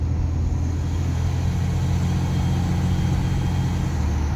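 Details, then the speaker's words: 2007 Ram 2500 5.9 Cummins diesel under hard acceleration: deep rumble with turbo whistle plus a faint secondary high pitch riding on top, noticed after fitting a twister resonator; cause unconfirmed. "You hear the turbo whistling, but there's like another note in there."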